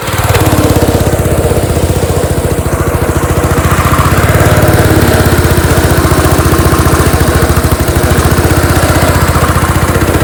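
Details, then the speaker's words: Small engine on a pressure washer after governor/throttle repair, running on choke: loud, fast single-cylinder chug beating unevenly, never settling; rough running, carburetor still leaking gas, owner suspects oil in carburetor keeping float from floating and too much fuel. "there only running on Troke right now though too much fuel"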